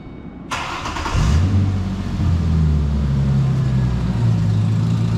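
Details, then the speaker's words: 2006 Mustang after a 4.0 V6 swap (engine from a 2007, replacing one whose timing slides failed), first key start before warm-up: the starter cranks briefly, it catches at once and settles into an even, steady idle with no ticking or knocking. "Ready to crank her up and see what she sounds like. If it sounds all right, I'll move my case out the way and take it around the yard real quick, see how it does."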